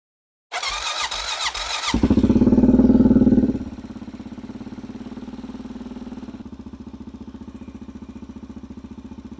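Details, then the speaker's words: Honda Rincon 650 ATV (2003-2005) after carb cleaned of sand, oil filled, coolant not yet added, after sitting three months: brief cranking, then fires, blips and drops to steady idle, clean healthy start. Normal cold start. "all right not going to run it that long because now I need to put coolant in it but that is a w sweet I mean fired right up dude fired right up"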